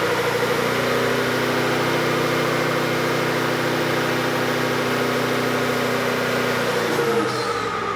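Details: On the dyno, VEE080, a boosted LS drag car, holds steady with an uneven, stumbling beat under the drone and misses now and then. This is an engine misfire. The owner suspects the plugs and will try new ones, or possibly a MAP sensor reading issue.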